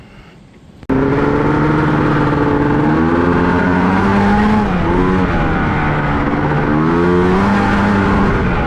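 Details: 1989 Honda Pilot with a swapped Ski-Doo 670 snowmobile engine, running in sand with paddle tires after seeming to load up: revs rise and fall under load but sound rough and flat, lacking pull. It feels like it's running on one cylinder, possibly from a fouled spark plug.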